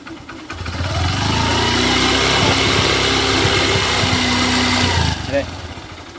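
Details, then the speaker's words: Hero Passion XPro bike after repair for white smoke and pickup problem: single cylinder starts and settles into steady even putter, no knock or tick; sounds like new. "Engine की आवाज़ एक number की आई है 100 100 एकदम आवाज़ कर रही है जैसे की न्यू आवाज़ होती है साउंड होती है बिल्कुल उसी तरीके से साउंड कर रही है"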